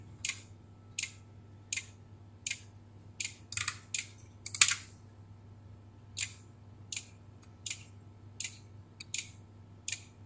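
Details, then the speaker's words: Beko WMB71033S washing machine control board on 230 V: sharp dry relay ticks about every 0.7 s over quiet hum with no display, one LED flashing, traced to a shorted supply bus in the ATmega64A microcontroller; relay clicking. "hãy xem có chuyện gì ở đây âm thanh tích tắc và không có màn hình nào"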